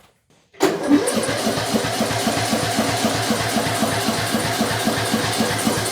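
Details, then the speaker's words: Bolens M762F lawn tractor small engine, after no-compression repair, weak battery, ether used: steady cranking churn about four beats a second with no firing; no spark because spark plug wire was disconnected. "Oh, it would help if we had our spark plug plugged in. Wow. That was very dumb of me."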